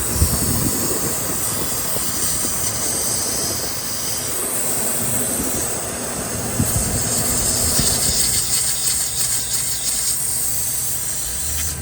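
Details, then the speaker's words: 2018 Ford F-150 3.3 idling: steady airy hiss from a vacuum leak at the torn grommet of the brake booster vacuum sensor, setting codes P0555, P0556, P050F with intermittent check engine light; fixed by replacing the sensor and grommet. "when I checked the uh brake booster where the sensor location is uh the boot has been ripped and it's making that hissing noise like a vacuum leak"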